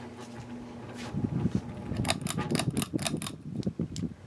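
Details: Bahama 52-inch hugger ceiling fan from 1992 with bent, warped blades, running on low: a low hum with uneven clicking and ticking. The worn fan is noisier on low than on medium and barely wobbles.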